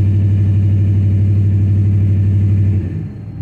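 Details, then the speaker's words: 2012 Dodge Ram 5.7 Hemi V8 with about 39,000 miles and misfire codes: a low rumble that stumbles and lopes when revved, and the gauge needle jumps. It misfires under acceleration; cylinder 3 misfire. "ahí está fallando se siente la falla está brincando la aguja un poquito"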